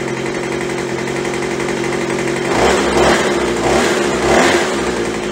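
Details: Craftsman (MTD) B2000 blower after carb cleaning, carb kit and throttle trigger modification: crisp buzzing idle around 2800 rpm, then three quick clean blips rising and falling without hesitation; normal throttle response.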